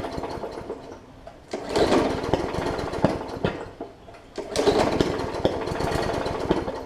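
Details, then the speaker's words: Briggs & Stratton OHV (plastic carb) Hyper Tough push mower that sat over winter with water in the fuel: two short pull-start bursts that pop and sputter without catching. Water is likely on the plug; priming and fresh fuel clear it. "so you can hear it popping so there's a little bit of water that's probably in the plug as well so i'm going to continue to pull it it'll catch at some point"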